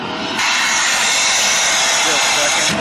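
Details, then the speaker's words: Shark vacuum after cleaning the screen and emptying the bin, hose path checked: motor runs with a loud, high, strained sucking hiss that holds steady, still not vacuuming well; blockage remains deeper, next suspect the clogged particle filter. "okay so this is all cleaned out but it's still sucking when it sucks like that it's not vacuuming good"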